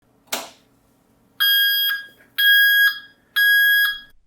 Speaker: I'm going to show you how to get rid of this Dreadful beeping in your treadmill